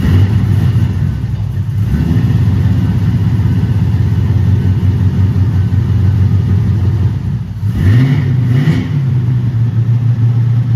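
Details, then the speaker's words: 2008 Toyota Prius with a swapped-in 5.3L LS V8 at first start-up after injector fixes: steady smooth low rumble with one quick throttle blip that climbs and settles cleanly, even firing, 50 psi oil pressure, charging at 14 V. Normal idle. "we got 50 lbs of oil pressure so I'm happy with that yeah it is so smooth"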